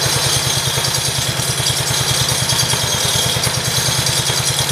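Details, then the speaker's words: 1968 John Deere 110 garden tractor just after first start since engine reinstall: steady even low thumping at a fast idle with light mechanical clatter on top, running smoothly; clutch assembly still needs work. "gotta do something about that clutch assembly yeah i'd say it runs pretty good"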